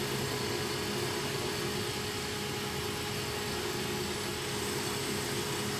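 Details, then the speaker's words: Lathe parting of the connecting rod for a vertical model steam engine, with the parting tool run backwards because the blade is upside down. Steady even hiss and hum with no squeal or chatter: clean cut. "And this is really nice. It doesn't, yeah, as you can hear, it doesn't complain at all. It's just, it does the trick."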